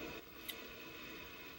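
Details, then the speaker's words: Amiga 2000 HD powered on with hard drive and fan running, no disk inserted: two faint, sharp clicks about a second apart. Normal floppy drive seek clicking; the drive is looking for a disk. "if you heard this little gentle clicking inside the floppy drive, that is a good sign that it is looking for a disk, it is ready for a disk, it is happy to receive a disk, and that the machine is probably working."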